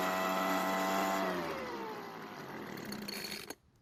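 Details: Leaf blower two-stroke, recently bought non-starter with recently replaced fuel lines: buzzes cleanly at speed, then pitch slides down as it coasts and cuts out; runs normally.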